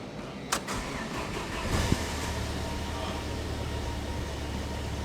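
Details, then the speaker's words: Jeep YJ with newly replaced engine, first start after a couple of cranks and adjustments: catches and settles into a steady, even low rumble with no knocks or misses. "it's running it's running it's so exciting so now we just got to let it run for a little bit kind of warm up and and break-in"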